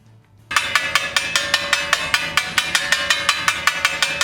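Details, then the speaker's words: Dutton-Lainson first-run CD4000 brake winch after drive shaft replacement and reassembly: turning the wheel clockwise gives crisp, even clicks about four per second. The ratchet is engaging properly, confirming correct repair. "after you have reinstalled your wheel on the end of the drive shaft turn it clockwise and make sure you can hear a clicking sound like this"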